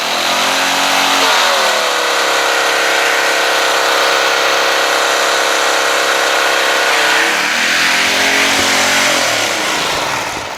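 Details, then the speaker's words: Small-engine pressure washer with a new hose fitting, now spraying: engine screams at a high, steady pitch, dips briefly and climbs back; RPMs far too high, throttle linkage/spring under the top cover to be adjusted. "how about that power wash it works however you noticed the RPMs are really high huh"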